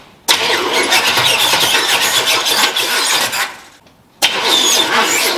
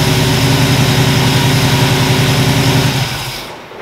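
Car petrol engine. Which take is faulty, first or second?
first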